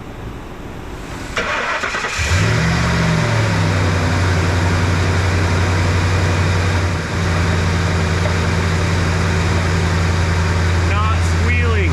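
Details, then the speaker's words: Ford F-150 5.4 Triton V8 start after air filter change: cranks, catches and settles to a steady, even idle; no serpentine belt squeal or knocking heard (knock complaint reportedly at high RPM, low load). "that's fantastic all right knocking noise knocking noise I don't hear it"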